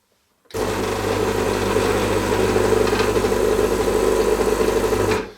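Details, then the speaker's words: New stainless-steel-boiler Gaggia Classic (RI9403/11): steady, even, deep throaty buzzing hum for about five seconds with no rattles or surging. The vibratory pump is normal, seemingly a little louder and more throaty than the old aluminum-boiler model. "I think the new model is a little louder, a little more throaty."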